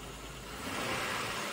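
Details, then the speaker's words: Chevrolet Impala, 37k miles, flood-damaged, marked non-runner and not started in a long time, with uneven cranking: short, steady run with no misses, knocks or stumbles under a light hiss; smooth normal idle, not revved. "but I don't want to rev it too much obviously hasn't started in a long time but it does run and it seems to run very smooth"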